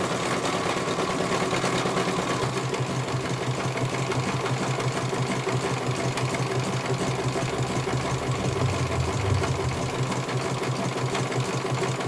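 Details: CNY computerized embroidery machine being serviced, whose dynamo motor earlier would not turn: brisk even needle patter near three strokes a second over a steady motor hum; stitching cleanly and healthy, one colour finished, judged very good.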